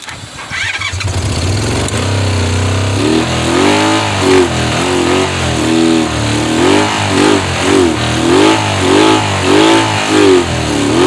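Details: 1985 Honda VF500F Interceptor. The engine catches and revs in uneven surges about every half second, dying back without sprayed fuel, so it runs only on fuel sprayed into the intake.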